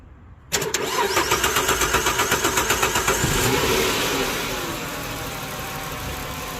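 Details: 2007 Dodge Charger no-start from broken ignition switch actuator pin, started by bridging the pin to battery positive with a USB cable: starter cranks evenly about four beats a second under three seconds, then catches and idles steadily.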